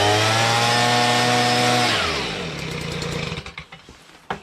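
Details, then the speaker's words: Stihl BG55 two-stroke leaf blower, repaired with a new carburetor, trigger, fuel line and air filter base. A strong, even high-rev buzz holds, then drops cleanly as the throttle closes. Runs really well once warmed up; normal running. "works just fine you know you should warm it up a little bit and it runs really really well"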